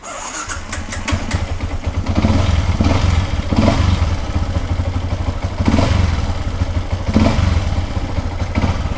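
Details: A Ysuku, previously dead with an ER1 error, fires up promptly and holds a steady, even idle with a few light throttle blips; it sounds healthy.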